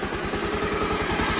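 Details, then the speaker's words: Bajaj Pulsar 150 after timing chain work for chain noise and white smoke: steady, even thump of about nine beats a second with no rattle or clatter; described as perfectly smooth, healthy idle. "यह बिल्कुल perfect smooth सामने आया है इसका कहीं से कोई fix नहीं"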